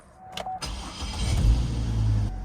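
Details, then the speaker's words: 2011 GMC Canyon 3.7L after starter motor replacement: short crank, then catches at once and settles into a steady even idle; starter and engine working properly. "Starts like a champ. 2011 GMC Canyon 3.7 liter engine."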